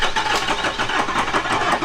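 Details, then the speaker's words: Ford 6.0 Powerstroke diesel after engine swap, with ICP building and black smoke: rapid, labored cranking pulses about five a second without the engine catching; hard start, likely air in the fuel, with ether needed. "starting these things is just a chore seems like almost we need it in The Ether hole again right here"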